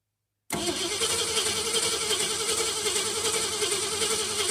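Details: Ford Fairlane after a fuel pump swap and new coil, with 6 V confirmed at the coil and the regulator tested good: steady, even starter cranking with no catch or firing yet, turning over but not starting.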